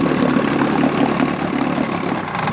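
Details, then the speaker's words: 1959 Johnson QD-20 10 hp outboard idling after dirty gas drained from the carburetor and the thermostat removed: smooth, even low putter with no misses or knocks, easing down at the end; healthy. "So got it all out it seems to be running fine."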